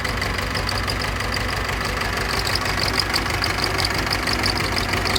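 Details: Pettibone Model B-66 diesel lift, after sitting under 8 feet of floodwater: it cranks at a steady churn without cleanly catching and idles roughly afterward; the cause of the hard starting is unconfirmed.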